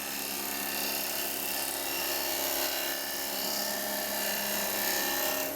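A smooth, even hiss of the gouge slicing steadily through the spinning wood, with no chatter or catching: a clean cut.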